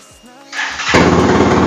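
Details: 2020 Benelli Motobi 200 EFI single with its original exhaust drilled out (bobok): brief starter whir, then catches at once and settles into a loud, crisp, even beat with no knocks; healthy start.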